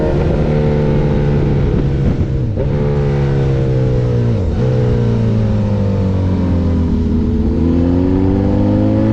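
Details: Honda sport bike on track at speed under load: engine pulls steadily but stumbles and sags twice then recovers, misfire with power loss; owner suspects a Power Commander V issue, unconfirmed.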